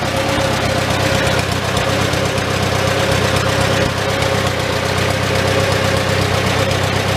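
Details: Old Farmall tractor four-cylinder idling in neutral inside a tight, smoky shed with the muffler cap removed, just after starting on choke; steady, slightly loose idle with faint valve clatter. Normal idle, running not too bad.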